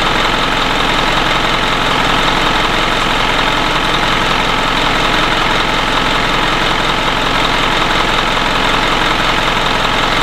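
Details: 2011 Isuzu NQR/NPR diesel truck with DEF/regen faults, warmed up in shop: loud steady idle with even clatter, constant speed, no misses or surges; engine healthy.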